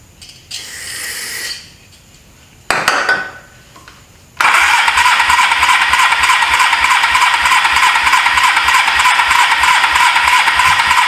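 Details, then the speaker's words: 1983 Suzuki GS450A automatic motorcycle, not run in years, previous owner rebuilt carbs but couldn't start it; on car-battery jump it cranks twice then fires, running unevenly only on choke; owner suspects carburetors need cleaning, leaking fuel line, needs new spark plugs. "Yeah, those carburetors need to be cleaned. My fuel line is leaking again. It only runs with the choke on."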